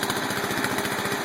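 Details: Small mower engine ("The Bio Hazard") after reassembly, with an even, quick putter holding steady speed and no surging. The carburetor had been sticking, with one screw smashed and another possibly lost. Fixed, running normally.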